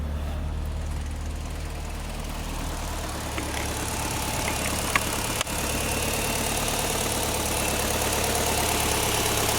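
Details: Mitsubishi Evo IX: stalled on the expressway after fast driving and high oil temperature, burning oil, 2.5 quarts low, barely started on a jump two days later. Weak uneven idle with a light rattle about three per second; head/valve rattle or rod knock suspected.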